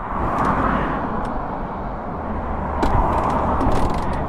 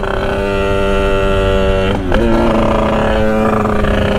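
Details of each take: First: Sherco 50 supermoto two-stroke with a 77cc Metrakit, being tuned and seeming to want a small pilot jet: a steady, crisp popping idle burble that picks up slightly. The idle sounds clean and improved. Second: Sherco 50 SM supermoto with 77cc Metrakit two-stroke, 130 main jet, riding on the pilot circuit: low droning cackling, crackling and uneven at light throttle, loading up rich and dumping fuel; fine wide open.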